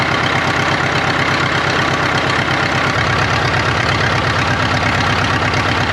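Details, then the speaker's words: 1939 Caterpillar D4 crawler, D4400 diesel, first run after rebuild, started by pony motor: slow idle chug with uneven beat, occasional skipped or soft pulse; engine has a miss, fuel leaks present. "it moved it runs it moves it's got a Miss in the engine I I know we got some work to do"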